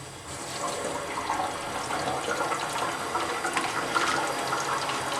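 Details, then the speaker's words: Kohler toilet over 20 years old with Fluidmaster fill valve, after cleaning the fill valve assembly: steady, even rushing hiss of the tank refilling, no wheezing or whistle; fill valve refilling normally. "So now I don't hear that wheezing noise, just the normal noise."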